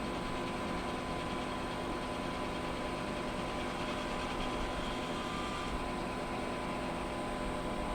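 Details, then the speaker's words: Pit Boss Competition Model pellet smoker after a new igniter install, temperature set to 225 degrees: combustion fan blows harder, steady whoosh with no surging or rattle, with no error so far where it used to fault. "You can hear the machine reacting to that. The fan is blowing harder."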